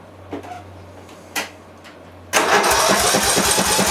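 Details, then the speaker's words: Massey Ferguson (Simplicity) lawn tractor, 18 hp Briggs Intek OHV engine, started without choke, no muffler: a couple of cranking tries, then it catches and runs loud and raspy with quick, fairly even pops. It runs but smokes; the carb is suspected of puddling fuel. "Let's see. That was loud, but it fired."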